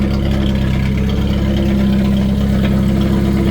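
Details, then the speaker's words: 1991 Jeep Wrangler YJ 2.5L four-cylinder, just started after new battery and coolant: very loud, deep, rough-edged idle with raw exhaust pulses; muffler cut off, exhaust open. "it's so loud oh yeah she lives man"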